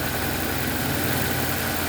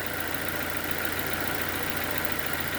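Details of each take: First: 2007 Nissan Y11 Wingroad, QG15DE cable throttle, running rich (fuel trims off, stuck fuel pressure regulator) with a fast, busy idle that never settles: high idle from a burnt ECM driver for the idle air control valve, leaving the idle permanently open. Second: 2007 Nissan Y11 Wingroad QG15DE, blown ECM idle air control driver so no relearn possible; idle now steady and even around 825–850 rpm with no misses or hunting; rich condition from fuel pressure regulator remains.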